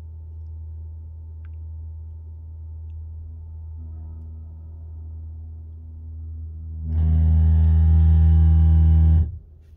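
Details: 2021 Toyota RAV4 Prime heat pump at vehicle startup: a low hum swells into a loud, horn-like droning buzz for about two seconds, then cuts off; the compressor noise was fixed by the software update in TSB T-SB-0042-22.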